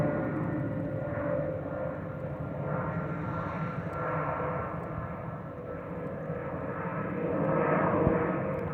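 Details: Delta Airbus A319-114 in the cabin: a steady cabin roar with a faint, even whistle riding over it. Normal hydraulic system whistle.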